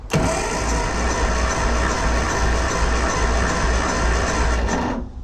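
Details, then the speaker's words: 1974 Classic Mini, unused for many years, gummed carb: starter cranks without firing at about 150 even beats a minute, quick light cranking; compression just above 50. "Yeah. So, that's just above 50. I can't imagine it'll make any difference."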